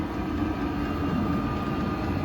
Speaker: коли ви бачите працює Ви чуєте такий звук цокання це цокає саме паливний насос який подає солярку у сам обігрівач